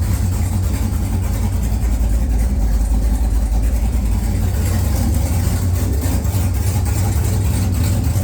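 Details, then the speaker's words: XG ute with freshly swapped LQ4 6.0L V8, first start after a faulty new crank sensor was replaced: deep even V8 rumble, steady firing, no knocks, misses or stumbles; normal running. "I'm a very happy man. Very happy to hear this thing run."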